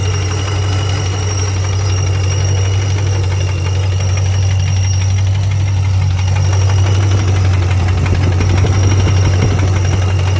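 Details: 2006 Pontiac GTO with a supercharged LS2 6.0 V8 at idle: a regular knock about three per second over a deep hum that appeared suddenly one day. It has no codes and drives fine, and the rockers and pulleys were checked. The owner suspects rod or lifter.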